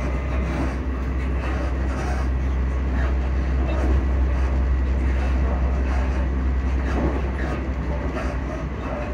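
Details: Recorded aboard a Class 334 train near Edinburgh Park: a deep steady rumble with rhythmic clatter three or four times a second, attributed to noisy suspension or running gear. Exact source unclear.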